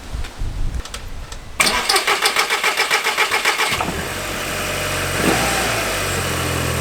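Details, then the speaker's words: VW Golf GTI Mk6 Edition 35 TFSI engine after cam follower replacement behind the high-pressure fuel pump: brief rhythmic cranking, then catches and settles into a steady, even idle with no ticking; normal start and idle. "so now it's time to put the car back together and start it up see if it runs okay"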